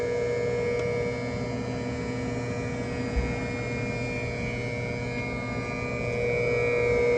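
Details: 2022 Tesla Model 3 rear-wheel drive with heat pump, recorded from outside the car with defrost on: even steady hum with a constant mid-pitched tone and a fainter high tone, no rattles or surging; normal operation.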